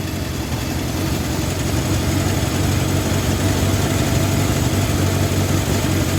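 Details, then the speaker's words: 1971 Honda CB750 K1 four-cylinder idling with a deep, steady rumble that swells and settles into an even beat, smoother after carburettor adjustment; cylinder one had been popping. "You hear how the idle picked up because it's smoother."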